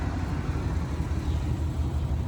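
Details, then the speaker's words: Chevy 454 big block in an OBS truck with new Bosch injectors and a JB Weld-repaired intake; the distributor was turned fully counterclockwise to run. Deep, lumpy V8 idle with uneven low pulses and no knocking; rough because the timing is still off. "timing's still kind of off I had to crank it all the way counterclockwise to get it to run"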